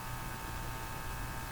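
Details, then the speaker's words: Hallicrafters TW2000 communications receiver: steady hum with several fixed tones over hiss, and a musical note when the radio is tapped; hum unchanged by band settings, suspected from deeper circuits, cause not found. "Just very strange sound. I assume you can hear it, too. Um, the pitch, the musical note that this thing plays every time you you tap it, tap the radio."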